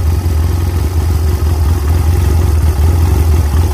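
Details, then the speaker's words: Chinese 250cc ATV (Kazuma/Taotao type), not run in about 10 years, after cleaning junk from the carburetor main jet and adjusting the air mixture screw out until it wouldn't cut off: runs off choke, low even idle holding steady, best it has done so far. "and it's pretty decent that's the best it's done so far and it's holding a good idle"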